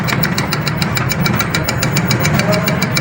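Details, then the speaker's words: E-bike hub motor, controller showing voltage on all three phase wires: regular ticking pulses about three a second over a rough low hum as the motor jerks instead of spinning smoothly; winding later found burnt. "ये देखें दोस्तों, ये voltage show हो रहे हैं कंट्रोलर से तीनों वायर में। लेकिन ये मोटर झटके मार रही है।"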